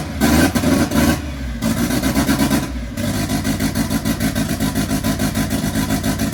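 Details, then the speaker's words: MK1 Ford Fiesta Zetec turbo, after fuel pulled: now firing on all four with steady slightly lumpy beat after rough start; AFR shows very rich, more fuel to be removed. "That is now running all cylinders. It is very, very rich. So I'm just going to pull a bit more fuel out."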